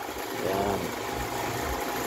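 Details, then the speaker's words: Metabo angle grinder with a grating sound: runs rough and uneven with a wavering buzz, no clean whine; once opened, the carbon brush is sunk in and the commutator worn, while the suspected bearing turned out fine. "Tingnan natin ong carbon brush nakabaon oh. Ayan disgrasya ang commutator pudpod. Ang iniisip namin na bearing ang sira."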